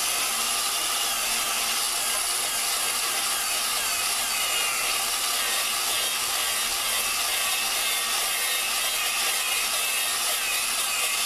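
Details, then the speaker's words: Valve lapping on a Dodge 4.7 engine, done with a drill: even, steady gritty hiss as fresh lapping compound cuts the valve against its seat; the grinding thins out once the compound is spent and just spins off. "So, as you're doing it, you can hear the the uh when you first start, you can hear all the grain granular portions of the the gr the compound. You can hear that doing its job."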